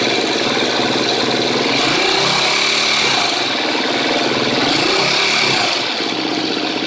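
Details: 2013 KTM 250 EXC-F at idle: light, fast metallic ticking about four per second over the buzzy single, rising with blips. Top-end tick; owner suspects the cam tensioner.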